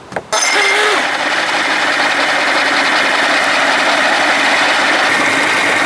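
After a short start-up burst it settles into a steady, even, full-throated run with no misses or knocks, healthy.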